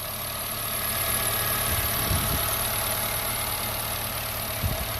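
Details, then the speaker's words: Honda Jazz petrol, 87,000 reading: smooth even idle with steady hum and light handling bumps; slight belt chirp noted, belt change would remove it. "Engine sound అయితే మనకి చాలా smooth గా ఉంది"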